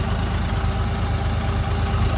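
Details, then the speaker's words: 1958 Mack B-21 fire truck, 1091ci Hall-Scott engine, just started after 30 years sitting: even, steady low idle with regular beat, no knocks or misses; running smooth. "wow oh wow yeah she's running smooth oh man"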